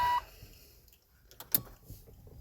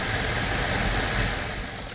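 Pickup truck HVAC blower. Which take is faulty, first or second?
first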